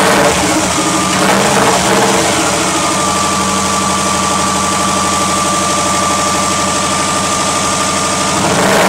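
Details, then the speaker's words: 1995 Subaru Legacy, first start since August after turbo relocated and engine painted: loud, raspy, steady run with a thin whistle on top; excessively loud, cause unclear. "My God, that's loud. Oh, Lord Jesus."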